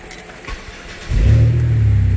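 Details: 2005 Chevrolet Impala 3.4L with intermittent start/stall: key jingle, engine catches and settles to steady idle after wiggling ignition switch; ignition switch suspected, fuses including ABS/PCM being checked, not confirmed.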